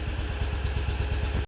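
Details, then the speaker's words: British-built Isetta single-cylinder, warm idle after carburetor float check and fresh battery: strong, even low thumps about ten per second, no clatter, sounds awesome once warmed up; charging weak, dynastart center post loose. Normal warm idle. "she's a great runner once she gets up and warmed up that sounds awesome"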